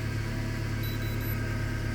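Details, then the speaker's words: Mercedes A-Class (W168, A140) windscreen wiper after lubricating the internal linkage (squeak came from inside, not the blades): steady low wiper-drive hum, no squeak, faint high tone; lubrication fixed the squeak. "вот проверяем скрип ушёл В общем помогло то что я смазал То есть это было в этом причина"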